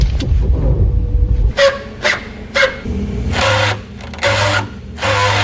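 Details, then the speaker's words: Toyota All New Rush / Daihatsu Terios sway bar: repeated rubbery squawks and creaks about once a second as the body moves, from dry rubber sway bar bushings rubbing on the bar without lubrication. "Penyebab bunyi ini terjadi karena adanya pergesekan karet ke besi yang kurang mendapatkan pelumasan. Jika hal ini dibiarkan, maka lama-kelamaan karet penahan sway bar akan cepat rusak."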